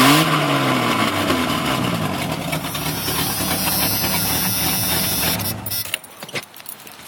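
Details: 1996 Jeep Cherokee Sport 4.0: engine revs with a loud raspy, puffing exhaust note from a leak at a broken Y-pipe that started as a slight leak and worsened over six months.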